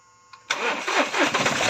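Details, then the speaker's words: 2020 Mahindra Bolero Power Plus diesel, which cut out at 80–100 km/h, starts after a second-hand fuel control unit motor was fitted; engine catches at half a second and settles into a steady running rumble, normal start. "বাকি এই যেটো control unit হয় ইউনিটৰ যেটো মোটৰ হয় এটো বেলেগ লগাইছো ষ্টাৰ্ট হৈ গৈছে"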